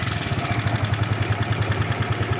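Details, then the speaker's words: Yamaha New Vixion Lightning (NVL) at idle: steady idle with quick regular metallic kletek ticking from the cylinder head, clutch checked smooth; rough noise traced to cam chain tensioner or rocker arm area, to be opened. "ya ini ternyata di bagian headnya ya di bagian keteng atau di templarnya di rocker armnya ada masalah ya nanti kita akan buka teman-teman"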